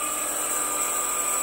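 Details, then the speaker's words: Precision Matthews PM-728V-T mill spindle, over 3000 rpm rising to max (4375) with quill fully extended: smooth, steady high whir, constant pitch, no rattle or chatter, well balanced; normal high-speed running. "max rpm fully extended quill sounds pretty good the vibrations they are reasonable so this thing is well balanced"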